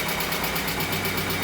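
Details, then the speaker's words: Barn-find 1980s BMW E30 M Sport, parked for years, first run with fuel pressure supplied around the dead fuel pump: even idle with light regular ticking of about twelve per second; running really nice. "that's running really nice yeah there's nothing coming out of the engine"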